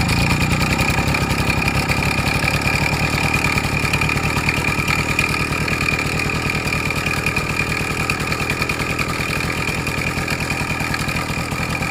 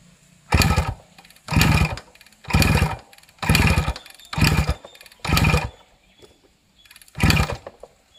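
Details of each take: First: Suzuki Max 100 two-stroke, cold start after about 5 years parked, only carburetor cleaned and wiring reconnected: fast uneven rattle and ringing clatter over exhaust buzz at idle; engine not 100% okay, abnormal sounds present, cause not yet found. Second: Suzuki Max 100 two-stroke cold-started after five years of storage during restoration, petrol connected: blipped in short sharp bursts about once a second, each time picking up cleanly and dropping back, running normally.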